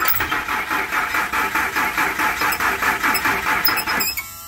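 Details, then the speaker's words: 1999 Ford F-150 4.2 V6, sat unused for years, sold with a bad fuel pump: starter churns evenly for four seconds and never catches; crank no start from the failed fuel pump, later fixed by pump replacement. "start it uh it was sold with a bad fuel pump so we're just gonna go through the motions we're gonna try and diagnose that for sure"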